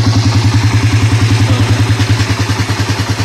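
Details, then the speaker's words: Raider R150 single-cylinder motorcycle after repairing a loud engine rattle: even, steady idle thumping about three times a second with no ticking or rattle; engine now quiet and healthy. "dito Tahimik ang makina mga Bossing oh Kanina parang helicopter yan"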